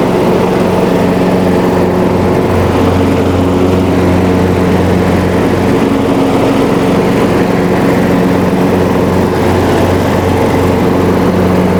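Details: Riding mower after fixing a deck-engage cable that wasn't moving with the lever, so the belt now tightens: steady, even engine drone with blades turning under load, no knocks, surging or belt squeal; runs healthy.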